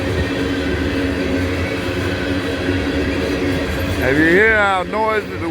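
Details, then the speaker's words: Train passing at Abbeville: a coarse, rumbling wheel growl with a wavering squeal near the end. The observer attributes the growl to grooves left when the rails were ground down. "wheels are, that's cuz they grind these rails down. That leaves little grooves in. That's why the rails ain't huming. They're growling."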